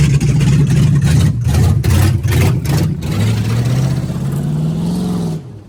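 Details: Budget $500 283 small-block Chevy with Turbo 350 in 1985 Oldsmobile Cutlass, ill-fitting headers, driving slowly: V8 revs unevenly with lumpy pulses across the revs; runs rough and out of tune, needs a lot of fine tuning.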